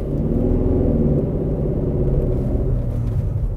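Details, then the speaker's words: 2009 Mercedes E 220 CDI (W212, 125 kW, 152,000 km) on test drive: loud, heavy low drone/boom under the car, mainly when accelerating, not Mercedes-like. "laut und brummen Brummen ist es aber richtig nee das ist wirklich nicht Mercedes like"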